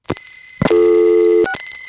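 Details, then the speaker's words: Noisy office power supply hum on a 1970s No. 1 Crossbar telephone line in the Bronx Grand Concourse central office: single steady off-pitch buzzing note, also present at lower level on the panel switch; power supply hum. "see what i mean that sound pretty much gets into everything from 294 the panel in this building has that same sound but it's at a lower level here"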